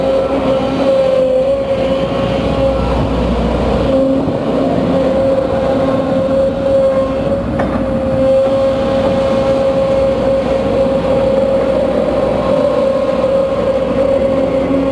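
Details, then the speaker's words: Case CX210B excavator working under load: steady mid-pitched whine over loud constant machine roar; goes low power and noisy after about 5 minutes of work; main hydraulic pump suspected, not confirmed. "Ya, baiklah pemirsa, ini kita duga sudah mengalami noise di main pumpnya."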